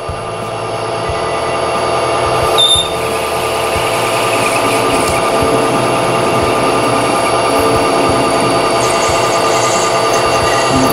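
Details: Metal lathe running out of back gear while parting off stock for an air blow-gun nozzle: steady hum with a faint high whine that eases once the lead screw is disengaged. The lathe runs smooth and quieter.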